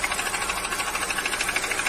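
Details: Toyota Yaris 1NR petrol engine at idle, overheating, with a light rhythmic knock about seven times a second: piston slap.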